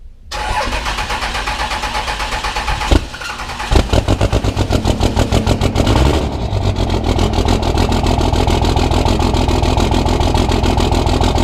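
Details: Cummins diesel truck at its first start after engine upgrades: cranks, catches, then idles lumpy and uneven as if one cylinder isn't firing cleanly. A loose fifth injector line was spitting fuel; tightening it should improve the idle.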